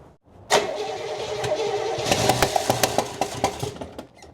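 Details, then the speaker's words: 1968 Oldsmobile Delmont 88, parked 36 years, first start with fuel poured into the carb after the plug wires and firing order were set. It catches and runs ragged with irregular sharp pops. Misfire suspected from a bad spark plug or camshaft, not a valve. "It's popping. Is that a valve? >> No. Might be a bad funky spark funky spark plug or a cam shaft. One or the other."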